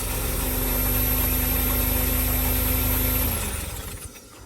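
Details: 2003 Smart Fortwo three-cylinder just after new spark plugs and HT leads: even, steady idle with no stumble or missing beat, then it winds down smoothly; now running on all 3 cylinders and sounding much better.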